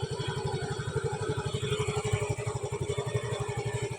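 Even, steady putter of a small single-cylinder at idle with regular firing pulses and no misses; it runs normally.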